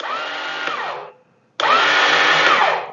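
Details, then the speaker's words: Chinese clone of a Suzuki King Quad: two bursts of high, rising whir spinning freely with no cranking; the starter motor turns but nothing engages, typical of a failed starter clutch. "starter motor's turning nothing's engaging so that's usually typical of the starter clutch being bad"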